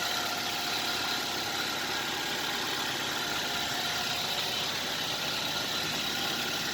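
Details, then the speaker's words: Used car at idle, heard with the window open during a pre-purchase engine check: steady, even, smooth idle with a regular tone and no knocks or misses. The engine sounds normal, with no problem. "bisa dipastikan Enggak ada masalah jenis ini Karena normal gitu apa suara mesinnya itu normal jadi halus begini"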